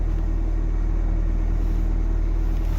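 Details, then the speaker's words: 2005 Nissan Altima that would not start, revived by cleaning the intake sensor, fitting a fresh filter, sweeping sand from the intake manifold and adding 10W-40 oil plus engine repair grease; alternator running, belts okay: low, even idle pulsing about 3.5 beats per second, no knocks or misses. "We got a little bit of mess over here, but it works like a charm. Alternators running."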